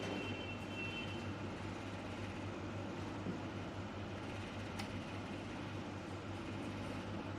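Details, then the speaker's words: Sunshine S-959E laminator after repair, laminating glass on a 300-second setting: door closed and locked, vacuum pump running with a quiet, steady low pulsing hum and no knocks or squeals; normal running. "Already দরজাটা close হয়ে গেছে, দরজা lock হয়ে গেছে, vacuum চলতেছে।"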